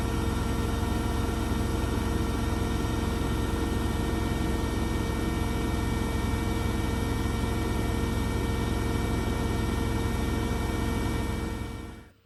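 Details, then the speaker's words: Blomberg RapidJET LWF194520QW 9kg washing machine, about a month old, final spin at full 1400 rpm: steady even whirring hum, barely vibrates, winding down at the end; normal high-speed spin. "this is the machine right out 1400 rpm as you can see it doesn't that light at all and it barely vibrates"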